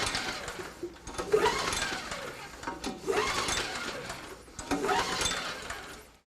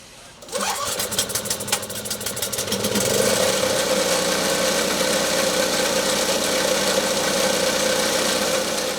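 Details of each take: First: Snow blower engine that won't start, during a spark test with an inline spark tester on the plug wire: three slow recoil rope pulls, whirring rasp as it turns over but never fires; spark is present, plug to be replaced as possibly fouled. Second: Snow blower engine starting after a spark plug replacement, with spark confirmed: one rope pull, a quick catch, then a steady, even running note with no misses or knocks.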